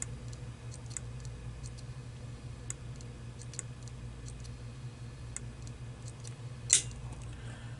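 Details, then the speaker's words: Seagate hard drive with dead controller board swapped for a board from an identical drive: repeated sharp clicks every half second over faint hum; board data mismatches platter data so heads fail to calibrate and click back and forth. "without having those two elements coinciding with each other the drive cannot calibrate properly so it just clicks back and forth"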